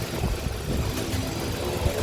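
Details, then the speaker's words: Car idling after clutch disc, release bearing and clutch cover replacement, which fixed a cold-start rattle that faded when warm: steady quiet idle with a soft even hum, no rattle or chatter; clutch and release bearing sound healthy. "Tahimik ang makina ko. Sulit. Sulit ang paggawa."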